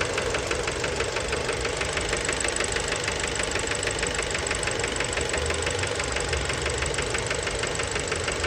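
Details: Fiat Bravo 2 1.4 T-Jet 150 HP at 215,000 km, recorded close-up at the engine after recent maintenance: steady idle with a hard, regular knock about three per second. Worn rod bearing knock, cause unknown; the car was scrapped.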